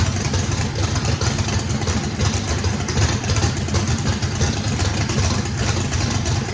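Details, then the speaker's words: Brand-new race motor with a radical race camshaft on its first fire-up, with big overlap and lobe separation; it needs about 6% throttle blade opening to idle. Deep, choppy, uneven lope with no misses; healthy normal lopey idle. "all right guys fire in the hole fire in the hole sounds good uh this motor i think has the overlap and the the the valve lobe separation on it makes that thing uh had to put a lot of throttle in it"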